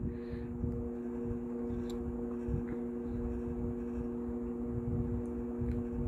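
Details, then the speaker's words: Steady fan motor hum on a 1960s Arvin box fan, with a faint uneven buzzing rattle probably from the grille supports, which are missing on the front; the back grille is silent. "can hear the rattling probably a bit coming from the grill supports because there's just none here on the front the back grill is completely silent"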